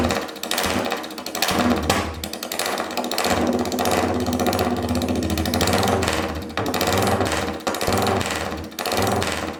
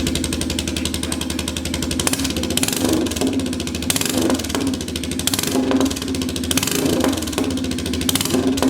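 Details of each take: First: Royal Enfield 350cc Bullet single on a freshly made custom open megaphone exhaust, recorded indoors where it echoes. Loud, rapid thumping that swells and drops with the throttle, crisp and even throughout; healthy running. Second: Royal Enfield 350cc Bullet single on a freshly made custom exhaust fitted with a baffle, not fired up in a while, in neutral. Loud thump with sharp crackles and pops as revs rise and fall. Owner suspects over-fuelling and says a cat would remove much of it.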